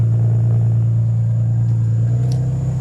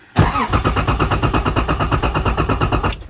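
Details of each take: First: Tim's Lexus IS300 (fuel pump hardwired with relay and fuses to bypass EFI) after exhaust repair: deep, steady low idle rumble with no ticks, leaks or rattles; normal, healthy exhaust note. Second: Lexus IS300 with ECU tuned out, no immobilizer or EFI, cranking but not starting even with throttle: starter turns engine steadily six or seven pulses a second for about three seconds, never catching.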